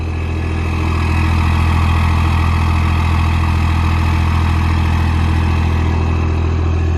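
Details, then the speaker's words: Diesel truck at idle, turbo exhaust; deep steady rumble with a faint constant whistle from the turbo spooling, smoky but sounds good; normal turbo spool. "i like that you can hear the little the spooling of the purple"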